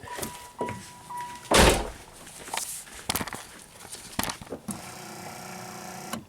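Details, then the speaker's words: Oldsmobile Silhouette with wipers stuck on, after fitting a cheap Chinese replacement wiper module: light motor hum with soft thunks as blades sweep and park through low, high and delay; wipers run and stop normally. "hey the Chinese module actually works hopefully it'll work for more than a day unlike the one on the Trailblazer"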